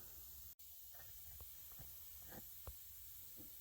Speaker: if you hear that air hissing that is my hose for my Airline Line's getting old cracked and I put some tape on it but it's leaking anyway